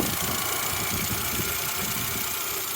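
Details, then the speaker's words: R50 Mini Cooper petrol, salvage category N non-runner just fixed and first started: even settled idle with light hiss, no rattles, ticks or hunting; idling nicely, healthy. "thing it's actually running really smoothly isn't it rattles no noises idling nicely what a"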